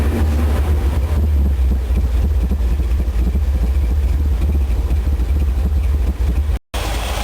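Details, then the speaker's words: Chevy 454 big-block after grinding valve reliefs into the pistons for a higher-lift cam, reassembled and running: deep, loud V8 rumble, strong and even, with no knocks, misses or rattles; engine sounds healthy. "it's running again got really really really sounds good"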